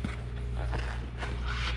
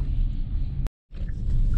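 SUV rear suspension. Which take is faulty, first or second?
first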